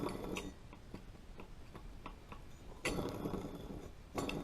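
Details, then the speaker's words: John Deere 38-inch walk-behind mower deck pulley spun by hand during winter maintenance ticks about three times a second: worn, rough bearing that needs replacing. "don't sound good. So that's going to have to be replaced."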